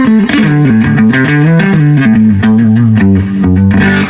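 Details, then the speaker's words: Fender Deville 212 tube amp, clean channel at volume about 2.5: guitar chords gritty and fuzzed, chunky on low chords, breaking up very early as if on drive channel; from failed screen grid resistors. "oh gee sounds like we're on the sounds like we're on the drive channel right now it's breaking up really really early"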